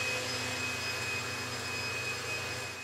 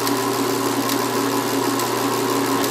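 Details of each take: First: BMW X5 on the bench with an Arduino simulating the crankshaft reluctor signal to the DME; after key off the injectors stop but the Arduino keeps pulsing and a pump keeps running for an indeterminate time, a continuous high whir with a thin steady tone; cause unclear, possibly a loop. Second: BMW X5 DME powered on with an Arduino crank-signal simulation at about 800 RPM, engine not actually running: a steady hum with light, even injector ticking once the pulses start. Fuel injectors firing normally.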